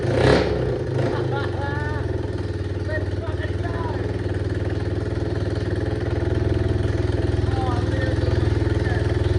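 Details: Yamaha AG200 single after rebuild, with a new CDI fixing an intermittent spark, not yet tuned: steady thump about four beats a second with a brief throttle blip; normal running.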